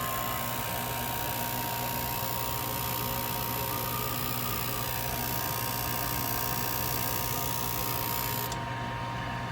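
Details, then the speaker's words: Used 92,000 BTU propane industrial shop heater, switch wires twisted together to bypass a suspected failed switch: constant rushing airflow over a steady low hum and a thin whistle, no rattles. Blower runs normally. "Theoretically, we touch these together, and it sounds good. Let me twist these. We're twisted. Oh. We've got air coming out there."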